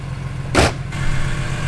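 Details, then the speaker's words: Modified, tuned BMW E46 M3 idling: low, lumpy, hunting idle with one sharp exhaust pop; engine struggling to hold idle, no rod knock suspected. "I'm not sure as long as I'm not getting rod knock or anything like that because it's just struggling to idle"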